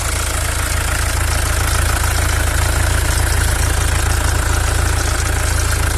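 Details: Mercedes W212 with OM651 diesel, serpentine belt removed: a steady idle with an even, regular knock about three times a second that persists with the belt off. Source not pinned down.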